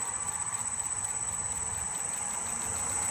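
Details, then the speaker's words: Max Universal 18-inch three-phase pedestal disc sander run on a Teco FM50 VFD from single-phase 240V, turned up to full speed: steady, even hum with faint high drive whine, no knocks; quiet, healthy running. "you can hear it's really going to go now it's a little louder but still for a machine like this is hardly any noise at all I mean I'm not having to talk over it's pretty quiet"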